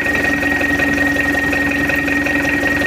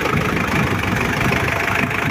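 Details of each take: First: Mitsubishi L200 diesel, rebuilt after an engine teardown, test-run on the stand with injection timing advanced: steady, even idle with soft clatter and a faint constant whistle, no knocks or surging; oil pressure normal, normal idle. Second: Mitsubishi L200 Triton diesel just started, still cold, heavy starter, blue-white smoke, worn injectors suspected: loud, uneven, lumpy, clattery idle with no smooth rhythm.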